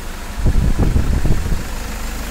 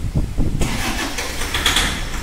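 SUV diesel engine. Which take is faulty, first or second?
second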